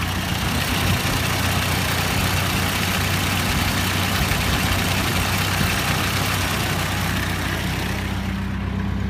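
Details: Ford Model A at slow idle: sharp tick-knock about four times a second, inaudible with spark advanced or cylinder #4 shorted; diagnosed as an exhaust leak, confirmed when replacing the disintegrating exhaust gasket stopped it.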